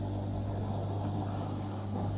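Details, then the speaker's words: Twenty-year-old Hotpoint 6834 dishwasher drain pump, refitted after removal for a not-draining fault, running at the start of a cycle: steady low hum, even motor tone, no rattle or gurgle; now draining, blockage cause unknown. "it's now draining I'm not quite sure what was blocking it"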